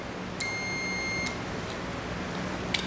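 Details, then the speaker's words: Relay continuity test with multimeter on resistance/continuity setting during engine overheat (cooling fan) diagnosis: sharp click and steady meter beep as contacts close cleanly; relay is good. "is what I'm listening for here is gonna be my DV om going beep when I click this here"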